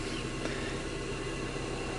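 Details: 2002 Opel Vectra C heater blower motor running loudly before removal: steady rushing drone with a rough low grumble underneath and no clear beat; the motor sounds worn and noisy.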